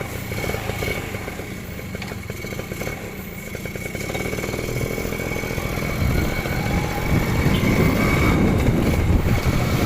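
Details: Suzuki Crystal two-stroke motorcycle after engine reinstalled and oil filled, previously very rough: steady buzzing exhaust rising smoothly with speed on test ride, no knocks or rattles; now smooth, normal running.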